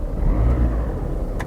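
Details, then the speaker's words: Cheap used Mazda 2 with 130,000 miles, just started: it settles into an even, smooth run with no knocks or rattles and sounds okay. Clunky steering was noted later on the drive. "have we got any warning lights [Music] [Music] well it sounds okay"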